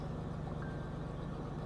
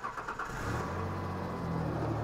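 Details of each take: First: Ford Ranger with junkyard engine after replacing missing PCV valve (cause of high idle) and battery disconnect for ECU relearn: smooth even low rumble, no hunting; idle no longer shoots to 2000 rpm in neutral, sounds much better. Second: Ford Ranger with junkyard engine, idle was around 1,600 rpm, restarted after fitting missing PCV valve: cranks, catches and settles into steady, noticeably fast idle that never drops to a normal slow beat; high idle.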